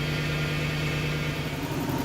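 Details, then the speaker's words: Lexus LS400 after ECU repair (replaced capacitors and diode), running five minutes, warming up and settling to low idle: smooth, even idle, steady low hum, no knocks, misses or hunting; normal idle. "the car's been running for five minutes it's idling down to its low idle it's coming up the temperature and you can hear nothing weird and see nothing out of the ordinary so so far so good concerning the ECU repair"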